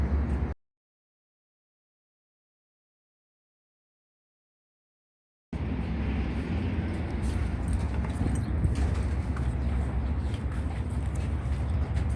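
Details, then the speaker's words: Toyota Vios fitted with a larger alternator, after the drive belt that squealed on starts was replaced: steady idle with an even low hum and light clicking, and no squeal or chirp from the belt. "แต่ตอนนี้เราเปลี่ยนสายพานใหม่ก็เรียบร้อยแล้วครับก็ไม่ดังละ"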